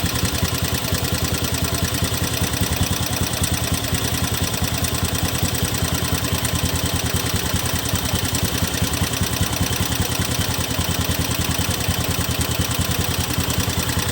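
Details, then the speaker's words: 2017 Honda Beat FI scooter with a rough-sounding engine, after the CVT was cleaned: steady idle with an uneven, coarse pulsing beat about two to three times a second. It still sounds rough and the cause is not found. "ini sudah kita bersihkan ya kawan-kawan. Suaranya masih terdengar kasar."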